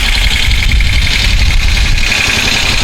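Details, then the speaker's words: 1973 Moto Guzzi twin, first start-up after decades off the road with freshly coated tank and cleaned carburetors, after a no-fuel no-start: loud, steady low rumble with even beat, no knocks or rattles; healthy smooth idle, neutral light on. "doesn't sound too bad that's the neutral light so all the other ones are out"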